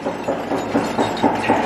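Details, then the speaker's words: Turbine engine just shut down, rotor at about 10–20 RPM: loose, uneven metallic clinks about four a second as blades flop in their fir-tree slots; normal blade lock rattle at low rotor speed. "Okay, so you can see on our computer screen readout, our electromechanical RPM engine rotor speed meter said zero, and now we can hear the turbine blade locks working."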